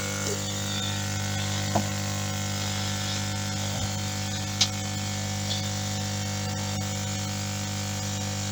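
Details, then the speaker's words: Lukey compressor-type hot-air soldering station from 2009 that had been humming loudly, now after padding it with soft packaging material: a steady low hum with no casing rattle, the remaining sound coming from the pistons. Runs quietly and normally. "Ну, в принципе, ээ, ну, кто в курсе, компрессорные станции, они вот так где-то, ну, немножко тише будет, закрыты будет корпус. А так примерно так же они и работают."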